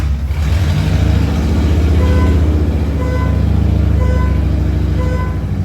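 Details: Tribute Camaro after new fuel tank, fuel pump and sending unit: loud, lumpy low rumble holding steady at idle with faint background beeping, running on its own without stumbling; normal idle.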